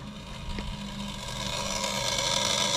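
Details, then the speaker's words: 1927 Model T Ford Tourer built in Geelong, Australia, ignition switched on with a rich mixture and the choke off: high, rasping, steady trembler coil buzz; coils buzzing normally. "now hopefully you'll hear the coils we'll try and get them if they do there it is"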